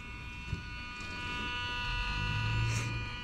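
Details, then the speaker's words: Lexus GS300 after rod bearing replacement and new starter, battery freshly charged, key out of ignition: constant thin electrical buzz at steady pitch with engine off as soon as battery connects; owner unsure whether something is being powered. "all right so it is making this weird noise as soon as I connect it I guess it's like normal but everything should be the way it should be you hear that"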